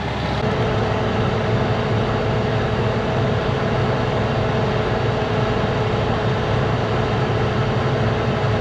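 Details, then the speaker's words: 1986 Gleaner R6 combine diesel, started after sitting about 3 years once put in neutral. Deep, constant idle with a steady whine from the drive; no misfire, knock or hunting, running clean and even. "There it is. Holy, she's alive! We've got life in dirt mine."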